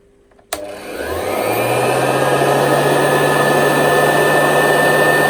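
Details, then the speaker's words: Hoover U4058 vacuum after inspecting the motor and refitting the hood: spins up from a click to a steady, even whir with no rattle or scraping; now running normally. "okay that sound better"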